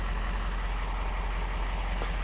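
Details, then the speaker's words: 2020 Ford F450 with 6.7 Powerstroke diesel, started just after an oil and filter change with 12 quarts added: steady, even low diesel idle with no knocks, ticks or rattles; engine sounds good, no leaks. "all right let's start it up and see how she sounds we got 12 quarts in there now engine sounds good"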